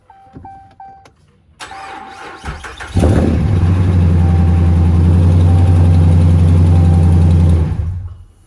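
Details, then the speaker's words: 2014 Ram 1500 being rebuilt, first start after frame work and reconnecting plugs and battery: brief cranking, then it catches at once and settles into a steady, even low idle with no knocks or misses. "there you go started right up"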